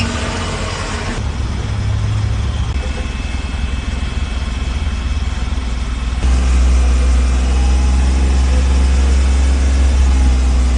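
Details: Renault Kwid after exhaust silencer loud-noise problem was fixed: steady deep exhaust idle with an even pulse and no rattle or blowing noise.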